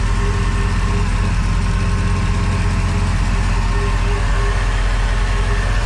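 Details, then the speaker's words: Crusader engine idling after the injectors were rebuilt and tested and the rails cleaned; deep, steady idle with an even low rumble and no misses or hunting, vacuum now 15, up from 12. "oh it's got air in that fuel oh look at that she is running smooth"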